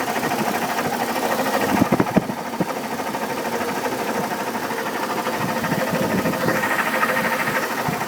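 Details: 2002 Chevy Trailblazer at idle: loose, uneven ticking knock about a couple per second, seemingly from the fan; fan clutch replaced two years ago, oil pressure checked, codes P0105 and P0420, cause unknown.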